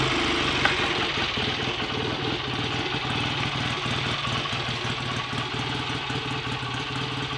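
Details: Freshly rebuilt BSA A65 Lightning twin with a replacement crank, ignition timing not yet checked, strong oil return: even, steady beat at a fast idle, no knocks or misses, clean regular exhaust note; better than before the rebuild; normal idle.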